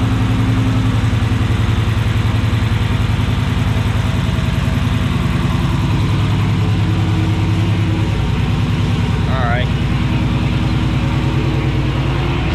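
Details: 2016 Dodge Charger Scat Pack V8 with long tube headers, K&N intake, catch can and tune, after installing ProFlex Commander E85 flex fuel kit: deep steady idle with even lumpy pulse, no knocks or ticks; running normally.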